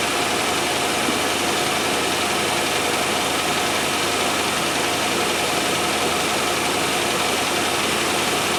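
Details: 1997 Land Rover Discovery 1 on a stand-in battery, shortly after first start: the engine ticks over smoothly and evenly with no knocks or misses, but the idle sits a little high.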